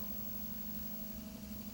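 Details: Electric forklift drive motor running during diagnosis of intermittent motor short code 13, 12.8 V battery, contactor engaged: a steady low electric hum with a faint higher whine; cause suspected, not confirmed.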